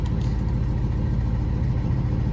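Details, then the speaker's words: Ford Mustang GT New Edge V8 with mufflers, before straight piping: deep, loud, lumpy idle with a raw unmuffled rasp over a steady low rumble. The owner says it has a fat exhaust leak he must fix. "i got a fat exhaust leak man gonna have to fix that bro listen to this bro fat ass exhausted"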